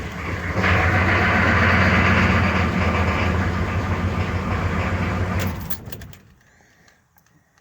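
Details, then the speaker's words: Diesel truck sitting a month on uncharged batteries, aftermarket parts-store starter, after glow plugs: steady laboured cranking about four turns a second that never catches; slow cranking from worn starter and weak batteries. "let the glow plugs reset it actually didn't turn it too bad for as low as the batteries are so we'll let the glow plugs reset like i said it is sitting a month"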